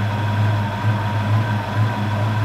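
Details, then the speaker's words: 1992 Mustang LX V8 after installing new street fire TFI coil, plug wires, cap, rotor, platinum plugs and MSD setup, air box refitted: deep, even burble at idle with no stumbles; sounds good. "okay our air box is hooked up we're gonna go ahead fire it up all right she's sounding good"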